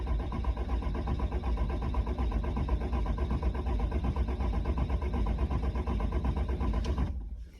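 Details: 2007 Dodge 5.9 Cummins that starts hard cold after sitting 4–8 hours unplugged; with injector 2 blocked at the rail it cranks long and steadily with no firing, rail pressure too low to start.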